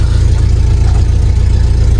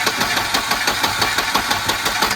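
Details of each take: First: Volvo Amazon started to drive down the hill: deep, even rumble with a steady beat and no misses or knocks; it always starts; normal idle. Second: Long-stored red Volvo 240 turbo, fuel pressure confirmed, cranked by starter button: steady rapid chug about six times a second, no catch yet; long crank before it fires.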